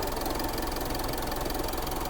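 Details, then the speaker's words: Diesel Mitsubishi Montero at idle after repair, earlier noise now gone; steady even diesel clatter with no separate knock or tick; radiator not working, not to be put off; normal idle. "Pero wag mong pagtagalin. Hindi gumagana radiator mo. At least wala na ingay. Ha? Tahimik na. Okay na."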